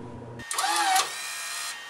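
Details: Fujipla ALM-series laminator cutter unit during adjustment, pulley set screw loosened, cut button pressed manually; about a second of strained, dragging whir as the cutter travels, then a quieter hum; the drive wire is too tight, slowing the motor.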